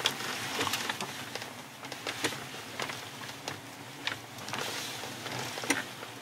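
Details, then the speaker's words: 2015 Hyundai Equus VS380 with about 200,000 km, on a test drive: irregular squeaky creaks and ticks over road hum, a rattle from the seat near the console. "콘솔 주변에 잡소리가 나요. 이 소리구나. 시트에서 나는 잡소리입니다."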